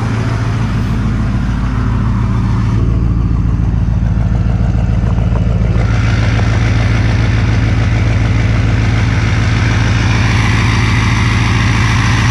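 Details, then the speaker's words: Diesel truck on synthetic oil, cold start after sub-freezing Virginia weather; deep steady clatter held at raised, even high idle with no stumbles; normal cold-start high idle. "it had the high idle it should kick in here shortly I think it might have doddle for a minute or so"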